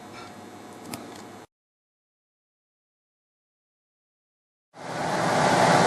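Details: Two-speed blower motor after replacement, fitted with a new startup capacitor: faint hum, a gap, then a strong steady rush of air as it starts cleanly and runs smoothly; the old motor had a bad, noisy bearing.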